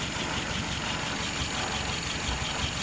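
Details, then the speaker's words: A 1948 petrol engine ticks over slowly and evenly at 660 rpm, within the 650-700 spec, with fuel pressure almost 3 psi, vacuum 23 and dwell 42. It is a steady healthy idle with no misses or knocks. "idle rpm is 660. you want between 650 and 700."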